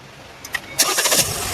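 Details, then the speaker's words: Hyundai new Creta petrol, towed in with a no-start: rats cut the injector wiring, shorting it and blowing the fuse. After the new fuse is fitted, a short crank, then the engine catches cleanly and settles into an even idle; a normal start. "Okay vehicle అనేది start అయిపోయింది ఓకేనా"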